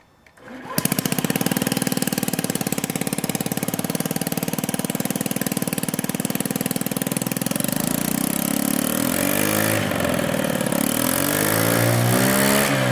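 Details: Honda Ruckus (Zoomer) scooter with the original exhaust broken where the header pipe meets the cylinder head, after a previous weld repair: a loud, sharp, raspy, lawnmower-like popping that gets harsher on revs. It was then replaced with a Yoshimura stainless system.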